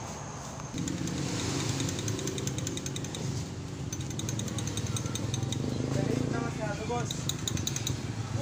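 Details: Honda Beat FI scooter CVT (panggilid) noise at idle and revs: fast metallic chattering from loose plate pins behind the clutch lining; clutch plate rattle, loose slider faces to be replaced.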